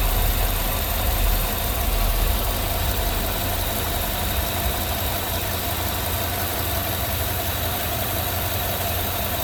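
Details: Engine idling smoothly and steadily with no lifter-like ticking or tapping from the top end, after the noisy vacuum pump was removed and deleted, brake booster teed into the intake, catch can connected to the PCV valve.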